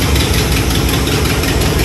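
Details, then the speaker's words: 1986 Chevy Caprice V8 at idle: loud, rough idle with uneven low thumping pulses, likely exhaust leak (exhaust separated from muffler, intake manifold gaskets never fixed, possibly donut gasket) rather than internal knock; cause suspected, not confirmed. "that may be why we hear a lot of that noise too"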